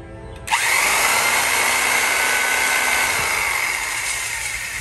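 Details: 1950s Milwaukee Model 414 Sawzall, unused since the 1980s, first run with brushes tight and cleaned inside, original cord: sharp switch-on, then a steady high motor whir that holds even and slowly eases off, no grinding; old-motor smell.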